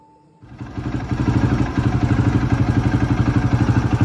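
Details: 2009 KTM 450 EXC single-cylinder after carburetor cleaning (muck in float bowl, cracked nut): catches and settles into a steady, even thump about four beats a second, no misses or knocks; running normally.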